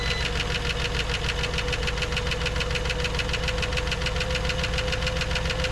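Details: 1954 Dodge Coronet V8, stored 42 years, just after first start with about 40 psi oil pressure: fast, even ticking of three or four a second over the idle; noisy lifters, gone on the second start.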